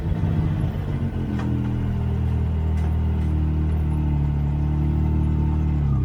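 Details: Newly rebuilt engine, once smoky from excess build oil, run at high revs uphill in third or fourth gear: a loud, steady, smooth, even note with no knocks or misfires; normal high-rpm running.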